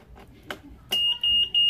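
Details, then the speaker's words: Yamaha NMax with plug-and-play Android WiFi keyless alarm in safe mode and power-saving mode: three loud sharp high beeps right after ignition switched on, confirming alarm still armed in safe mode. "Ini kan mode aman, seharusnya di kontak ini alarmnya bunyi. Ini juga akan bunyi."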